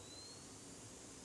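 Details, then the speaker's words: Pentax AF280T flash, bought in unknown condition, after cleaning battery corrosion and trying different batteries: a thin high-pitched whine rising slightly then holding steady as it finally charges normally, apparently after misaligned battery contacts. "oh my gosh it just it just kicked in the sensors weren't lined up oh my God yes oh oh my gosh it just kicked in I heard it the light"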